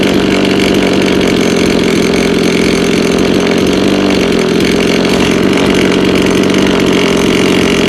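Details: Lawn mower: loud buzzy small engine with faintly wavering, uneven beat instead of a clean steady note; hard starting and rough running, cause unknown.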